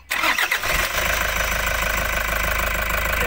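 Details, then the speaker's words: 2018 Toyota Hiace Commuter diesel after cleaning ant nest from fuse/relay module that had cut relay contacts, previously cranking no start with no dash display: brief cranking then catches on one click and settles to a steady even idle. "Toyota Hiace. Cranking no start to one click start."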